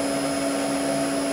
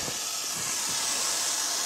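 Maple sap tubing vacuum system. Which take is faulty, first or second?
second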